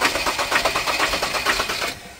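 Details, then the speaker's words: Ford Ranger with knocking issue, won't start: rapid sharp clattering about eight beats a second while cranking, then dies without catching; mechanic blames damaged injectors, high-pressure pump tested strong. "Op op op. Ang damage. Injector yan buddy."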